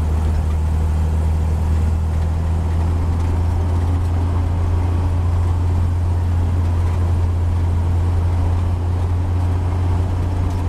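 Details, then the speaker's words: 1949 Chevy 3100 Stovebolt six with new Pertronix Flamethrower distributor, Igniter II module and Flamethrower II coil, cruising at 40–45 mph sweet spot: low steady drone under road noise, no misses or stumbles; smooth and clean. "It just everything just sounds like it's hitting every lick, and it's just smooth. If you listen to the engine, it'll tell you where it's happiest at."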